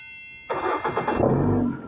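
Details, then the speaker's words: 2009 Ford Escape no-start after an ignition lock replacement, starter jumped manually with 12 V to the middle pin: steady cranking whir, even for over a second with no grinding or clicking; starter works properly. "and there we go right there tells us that the starter is working 100% all right"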